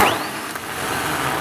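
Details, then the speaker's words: Ten-year-old starter from a 2008 MaxxForce 7 diesel, bench tested: steady rough growl, dragging and labouring instead of a clean whir; worn-out starter. "cleared up at the started out as when it's under load Krang the agent that's like Riley a nasty worn-out starter sound"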